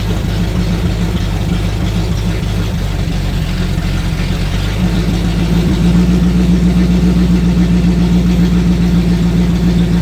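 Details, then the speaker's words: Sixties Ford Galaxie with a small-block V8 (289, possibly a 302), carbureted, after revival: steady, even idle that never settles to a low lazy speed; high idle, suspected timing too advanced, carburetor to be checked. "I want to back the timing down with it. >> That might be why it's pretty fast idling, too."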